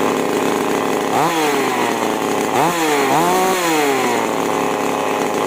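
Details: Chainsaw (5002/5018 class, H and L carb screws) after carb tuning, starting from L and H 1.5 turns out: two-stroke snaps up cleanly on each throttle blip and drops back smoothly, no bogging or surging; normal running.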